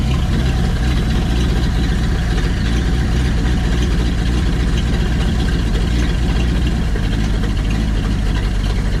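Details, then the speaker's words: 1952 Packard 327 straight-eight, exhaust down tube removed and vacuum leak plugged: deep, even, loud open-exhaust rumble, no miss or knock; idles smoothly, most exhaust leak gone, slight warmth still felt, oil pressure about 20. "most of the exhaust leak is gone I can still feel a little warmth like little little"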